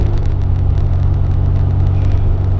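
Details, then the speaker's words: Toyota T100 2WD cab on a bumpy dirt road after gorilla duct tape fix for metal-on-metal door clanking: steady low engine and road rumble, no door rattle or clanking now. "peace and quiet. This is great."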